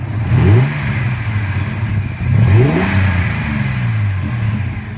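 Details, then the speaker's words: 2003 Chevy S10 Xtreme, fully warmed up, after cold air intake install: smooth idle, then two quick throttle blips rising and falling cleanly with slightly louder intake rush, no stumble; normal warm running. "Just idling, I can definitely hear a difference, but it isn't like an insane difference, but we'll just see if there's any difference."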